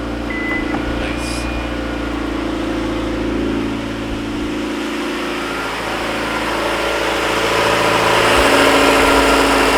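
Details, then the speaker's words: Petrol car engine after a motor swap, idling steadily with an even hum and no belt squeal. The alternator belt had squealed because it sat on the wrong set of pulley teeth, possibly the wrong crank pulley. "I'm pretty sure the reason that it was squealing is because it was on um the wrong set of teeth I probably have the wrong crank pulley in the first place"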